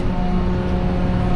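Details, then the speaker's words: Diesel farm sprayer holding a steady raised idle with an even drone and faint constant tone, no misses. DPF light on and it is parked, burning fuel until the sensor clears it. High idle during DPF regeneration. "Well, it's doing a pollution burnout. It's what I call it. It's cleaning its DPF filter."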